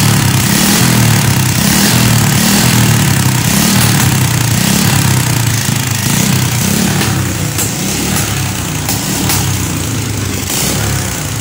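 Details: Carbureted motorcycle started after carburettor float-needle and seal check for fuel flooding and leaks: steady low single-cylinder putter at idle, even and unhurried with no misses or stumbles; engine idles normally.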